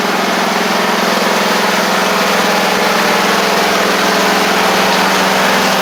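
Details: Craftsman riding mower after repairs including a lubed blade-engage cable, driven out: steady, even single-cylinder drone with a constant low hum and no misses or knocks; engine running healthy.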